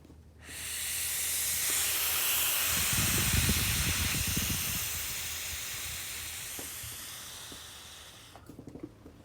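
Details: Airy hiss rising and holding then cutting off, heard while blowing low-pressure air into the intake to find a vacuum leak; large intake vacuum leak found.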